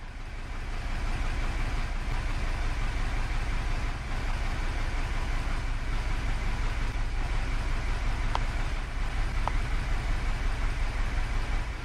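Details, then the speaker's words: Hyundai Elantra at idle with the check engine light on and code P0304, cylinder 4 misfire. It runs very rough and shakes, with an uneven stumbling pulse and lost power. Misfire. "I can tell you the engine is running really rough right now. And here's a look at the engine. It's shaking quite a bit and it sounds very rough."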